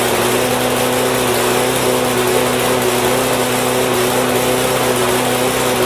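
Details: Husqvarna lawn mower with Honda engine, after fixing a no-start: steady buzzing hum at constant pitch with no misses, sputters or surging; running cleanly and healthy.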